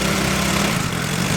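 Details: Yamaha Mio i scooter revived after river submersion and 3 years not starting: steady, even hum at fast idle, rear wheel spinning freely, no knocks or misses; running cleanly.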